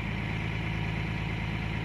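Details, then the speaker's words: Caterpillar 345 excavator diesel after ECM replacement, high idle set to 10 and engine speed auto-calibrated; steady even drone holding one speed, no up-and-down hunting as before; speed correct after calibration. "as you can see now the engine sound is fully speed so based on calibration they calibrate the speed and the problem speed going down see you can hear the sound they automatically reduce"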